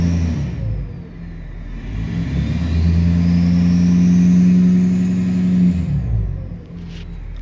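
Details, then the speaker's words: 2015 Ford F-350 after transmission repair attempt with new filter and 12 quarts of fluid: engine drone climbs and holds high revs with no load, truck not going forward; failed automatic transmission, repair unsuccessful, replacement transmission needed. "It's not going forward"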